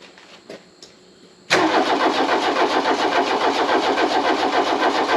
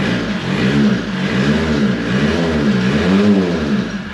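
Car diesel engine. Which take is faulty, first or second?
first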